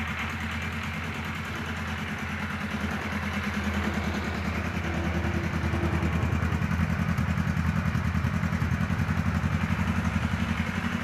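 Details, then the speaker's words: Kawasaki KZ Police 1000 four-cylinder motorcycle: idle ramps up at start, then climbs and wanders instead of settling, behaving like a huge vacuum leak; owner notes misfires and suspects it's not firing on two cylinders; wandering idle, cause unconfirmed. "and it wanders like I said it just behaves like a huge vacuum leak"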